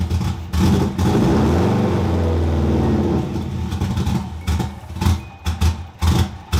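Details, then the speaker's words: 2002 Subaru WRX first start after sitting, leaking coolant: engine holds a rev, then stumbles into uneven choppy bursts as it drops; rough running from intake air leak because the ill-fitting blow-off valve wasn't seated. "the reason why it wasn't sounding the best was because it was getting too much air in because the blow-off valve wasn't on perfectly"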